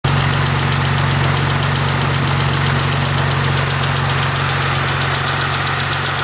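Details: 1991 GTO at idle: a light, fairly steady tick about four per second over a smooth idle. Valvetrain tick, with a lifter suspected but not confirmed.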